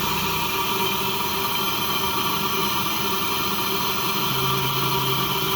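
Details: Lexus GS300, 2JZ-GE, after replacing the leaky ECU capacitors: a smooth, unchanging idle under a steady hiss with no misses or hunting. It now runs better than it did a couple of years ago.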